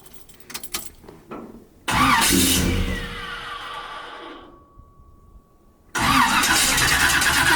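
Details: Chevy 350 truck, no-start after parked 3-4 months, after replacing cracked fuel line that sucked air: cranks, goes quiet briefly, then catches into a steady run once fuel pressure arrives; clean start.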